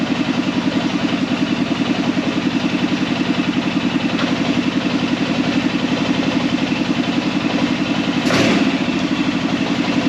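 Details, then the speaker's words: Arctic Cat Prowler engine just rebuilt with new pots (cylinders), first start after priming the carb: even, regular idle pulse at a steady speed, no knock or miss; running smoothly. "Seems to be working good."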